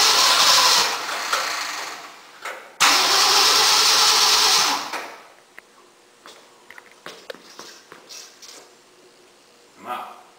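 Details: 1965 Mercury engine in a no-start-to-start project catches with a loud roar for a couple of seconds, dies, fires briefly again, then stops; it wants lots of fuel and won't keep running on its own.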